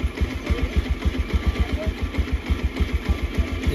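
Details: Bajaj Pulsar 125 BS6 with check-engine light on that stalls after a minute or two. Scanner code P2109 points to the throttle position sensor. The single-cylinder idle is uneven and lumpy, pulsing about three times a second and hunting as if ready to stall.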